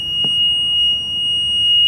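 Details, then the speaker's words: E-Z-GO golf cart whose battery sat in storage 4 years with no trickle charger and is still charged; a loud, steady high-pitched tone held for two seconds shows the backup beeper is working. "That is the backup beeper on this thing. This battery has been in storage 4 years. 4 years. And that battery's still charged."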